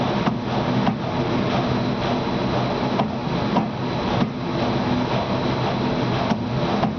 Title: Lamination knocking sound